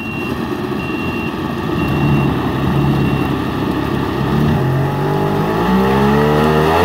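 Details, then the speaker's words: 1999 Yamaha SUV 1200 jet ski with SBT two-stroke engine, carburetors repaired, first load test: steady drone climbing evenly with throttle, no stumbling or knocking; running smooth and clean, cylinders and exhaust cool. "Matthew running very well sounds smooth that's him just leaning on the throttle kind of funny he's adjusting the trim causing the trim to change angles that's idling"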